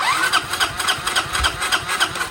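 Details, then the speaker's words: 1993 Honda Helix CN250 with new coil and CDI: starter turns the single over with a regular chug about four times a second but it never fires; starting fluid added next. "Nope. Get some starting fluid in there."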